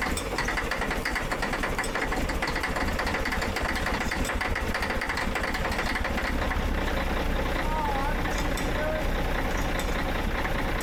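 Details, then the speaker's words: Caterpillar 977H loader, D333 diesel after cracked-head repair, started in freezing cold with jump charger: harsh, uneven clatter; owner suspects air-related issue, airlines frozen; rough cold start, not confirmed. "That sounded like a John Deere cold start. I don't know what that is, but it's mad. I think it's air related. too cold."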